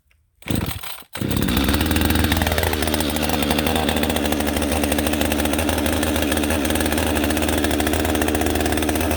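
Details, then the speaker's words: Husqvarna 562XP AutoTune chainsaw with a clean air filter, started from choke then choke off, running normally: high buzzing revs bouncing off the rev limiter with slight rpm fluctuation after a rip cut let AutoTune adjust. "And you can hear it kind of revving up and bouncing off the rev limiter there and everything. And the RPM's changing and fluctuating just a little bit because we haven't gone anywhere different."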